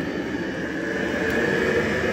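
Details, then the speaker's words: Diesel heater temporarily wired up at a cabin, with its thermostat cover off, kicking out a lot of heat. It has an even, steady jet-like roar with a constant whistle on top and no pulsing or sputter: burning cleanly, normal running. "Well, it sounds like a jet engine taking off. Which is exactly what it should sound like"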